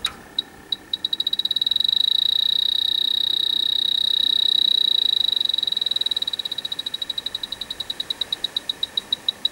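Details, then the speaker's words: Grain-store dry air generator (large dehumidifier) that lost its refrigerant: electronic leak detector in manual mode gives a shrill beep that speeds into a near-continuous squeal, then slows to rapid ticking, at the same spot on both sides of the evaporator coil. Leak detected. "Let's go into manual mode. Around the other side. It is going off in the roughly the same place, both sides."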